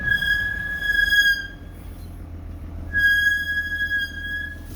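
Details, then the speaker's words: Toyota GX 300 Series (LandCruiser), first drive in the morning, light brake application at the top of a hill: shrill whistle-like brake squeal in two bursts of about 1.5 seconds. "that was me touching the brakes lightly first thing in the morning and as I come to the top of the hill"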